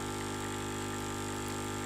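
A steady, even pump hum with a buzzy tone and no crackling or straining from the brew unit.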